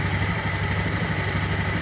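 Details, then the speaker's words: Honda Beat ESP scooter with a history of stumbling and stalling, cold idle at about 1,400–1,500 rpm, 42° engine temperature; steady, even low putter with a fast regular beat, no misses or knocks, healthy idle. "rpm nya ntar rpm nya ini Rp1.000 ya wis nggak masalah 1400-1500 ya rpm nya"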